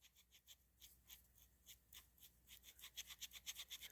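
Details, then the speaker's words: Rampage NT differential pinion bearing that was seized, possibly pinched by a factory press-fit, then freed up. Spun by hand, it gives a faint gritty rasp pulsing about twice a second. The bearing is rough. "it's not exactly smooth so uh I don't like that"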